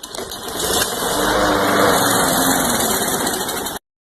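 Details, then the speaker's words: Craftsman push mower with a Briggs & Stratton 6.5 HP engine, hard or no start, running on fresh fuel with starting fluid sprayed into the intake: it catches, runs rough for about three seconds, then stalls. Owner suspects a fuel supply or carburetor fault, not the air filter. "ok as you saw in the first pool it fired right up so let's tell me it's not getting to end because it it did not keep running and it's stalled out"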